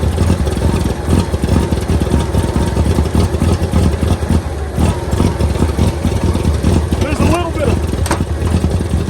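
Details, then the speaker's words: 1923 Franklin Model 10 after 76 years, fuel delivery restored: steady, even low idle with light regular patter, no misses, some blow-by and smoke clearing; burning-rat smell from exhaust; runs really good; normal running. "there we go okay so she runs really good we're going to put the cover on here"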